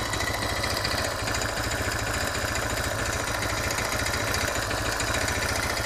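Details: Suzuki DR650 single idling in neutral with a sharp, slightly uneven tick-knock on each firing beat; long-standing, persists accelerating, fades on deceleration; valve clearance and cam chain tensioner checked, cause unknown.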